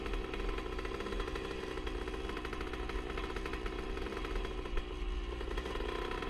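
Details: 1977 Honda CR125 Elsinore two-stroke with new HPI ignition: loud, raspy buzz that now and then stumbles unevenly; intermittent stutter, owner suspects an exhaust leak since it ran fine before the leak appeared.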